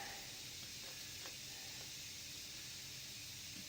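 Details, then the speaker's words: Steady airy hiss of air leaking where a new go-kart tyre's bead hasn't seated on the rim, before inflating it to seat the bead. "Now, you can probably hear the air leaking there. Have your inflator there ready to go."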